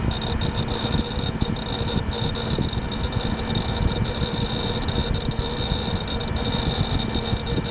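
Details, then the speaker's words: Gateway LP Mini Tower KAD K7-700 (AMD Athlon 700 MHz): steady, unchanging fan whoosh with faint hard drive whine and light seek chatter. Drive and fans running normally. "Okay, just thought I'd do that for all you drive noise fans."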